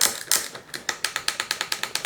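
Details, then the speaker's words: Trek hardtail mountain bike, unserviced 5–6 years, mismatched 10/12-speed drivetrain: gear shifter after lubing during cable and outer replacement gives crisp, evenly spaced clicks about eight a second, indexing cleanly and positively; normal shifter clicks. "Just going to get some lube in here as well cuz these clicks are not particularly positive. Work that in. A guitar on it. Ding ding ding. All right, that sounds a bit more positive."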